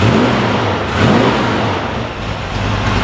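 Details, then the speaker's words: 350 Chev V8 in a Jaguar, just fitted with 1.6 offset rockers: revving gives a raspy, puffing growl rising and falling with throttle, from an exhaust leak that developed at the flex joint. "so yeah so we've developed a exhaust leak on the flip joint when we do the back exhaust hangers again"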